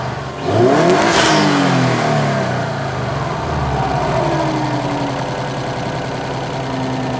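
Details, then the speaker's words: 2008–2014 Subaru WRX after a Cobb intake install (post-MAF, no tune), recorded from inside: the engine catches, flares in a quick rev, then settles to a smooth, even idle with a faint intake whoosh; healthy. "So yeah, that's how it sounds. I'm not too sure how it sounds in the front, but it sounds good from the inside."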